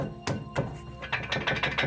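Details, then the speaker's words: 2002 Ford Windstar, passenger-side front wheel rocked by hand: loose knocking clunks, a couple then about five a second; worn front hub bearing, hub and bearing assembly to be replaced. "She's got a wheel bearing that's making a lot of noise, and she's got a tie rod end that's kind of loose."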